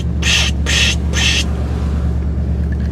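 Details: Buick at idle after a brake fix: three quick airy psh hisses as the pedal is pumped over a low steady idle hum; brake booster drawing vacuum normally, pedal goes rock hard and brakes grab well.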